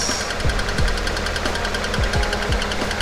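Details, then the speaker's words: 2013 Kia Forte EX after engine replacement, idling: sharp ticks about twice per second tracking engine speed over the idle, flexplate tick because one torque converter bolt was not installed; no leaks. "and that's exactly where that kick is coming from it's because we did not put the other torque converter bolt in"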